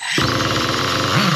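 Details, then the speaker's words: Nitro RC car engine after stalling on a rich low-speed needle, needle turned back clockwise (leaner): catches at once and settles into a crisp, steady high buzz with no sputter or sag, good low-speed running. "So yeah, that's a good sounding good sounding um low speed."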